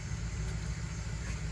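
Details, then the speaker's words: 2006 Dodge Ram 1500 Mega Cab V8, just after new valve cover gaskets and fresh spark plugs, a bit hard starting: steady even low rumble with no stumble or skipped beats; no misfire, running on all eight. "shouldn't be any misfires doesn't sound like a misfiring sounds like it's running on all eight"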